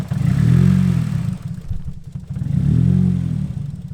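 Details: Nissan S14 on a cold start: engine hunts and stumbles, swelling and sagging about every 2.5 seconds with uneven beats, a lumpy misfire at idle; it briefly sounded better, cause not confirmed, fuel filter suspected.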